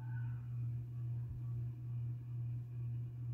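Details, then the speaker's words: Rainbow hugger ceiling fan, 30 in, on low speed, blades bent for more pitch, was very noisy when first installed but has quieted: steady low hum swelling about twice a second over faint rough rumble; ceiling fan bearing noise. "these thing has got a bit of bearing noise when I first installed this fan it was really noisy but it seemed to quieted to quiet down a bit more"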